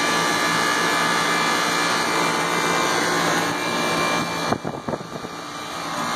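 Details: Tempstar ICP AC unit after a bad contactor was found: steady, even rush of condenser fan with compressor hum underneath, no rattles or cycling, then a brief clatter; unit running normally.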